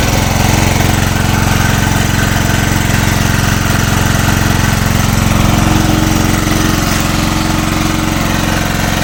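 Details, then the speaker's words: Engine on a generator with the head machined to run on LPG, running on gas under about 1 kW load: labours and shakes unevenly over a low drone; ran more steadily before the head machining, cause unconfirmed. "вообще паршиво роби оце вам іросточка тоді хоть робило стабільніше вобще що попало"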